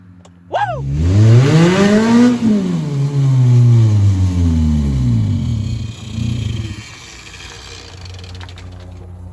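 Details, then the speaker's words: Race car engine just installed after transmission work, test-driven on the road, revs hard then cuts out abruptly at 5,500 rpm, leaving a lumpy settle; thought to be in limp mode. "it is in limp mode because it's hitting the chip at 5500 rpms because it wouldn't have went up to that it's just going it's cutting off at 5 500."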